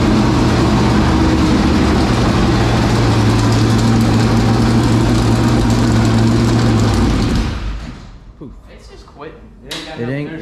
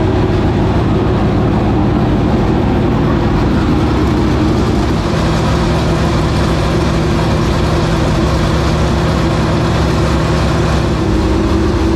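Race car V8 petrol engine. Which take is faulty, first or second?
first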